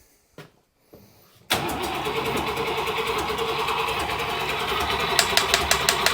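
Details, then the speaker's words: Buick Nailhead-powered vintage rail dragster after a carburetor change, cranking on ignition to pump fuel into the carb: long steady cranking with odd weak firing pops, never runs on its own. Accelerator pump gives only a tiny shot; owner wonders about a clogged fuel filter. Crank, no start from fuel starvation. "trying okay I got gas in my it's barely it's trying to do something"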